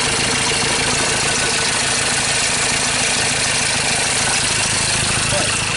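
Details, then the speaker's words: 2013 Ford Ranger T6 diesel at idle after a routine service, with loss of power and stalling; harsh, ragged, uneven idle under the clatter, sounds like a cylinder misfire. "that sounds like a misfire"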